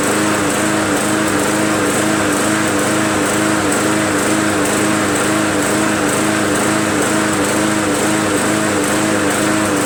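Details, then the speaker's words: MTD Yard Machines 20" push mower, Briggs 300E, just restarted after carb clean and draining water from the fuel tank: light drone with faint slow rise and fall about once a second at idle, mild surge; owner suspects unclean carb or governor spring adjustment. "Serge is a little bit means that the carburetor is probably not a huntress unclean or it could mean an adjustment on the spring in the governor needed"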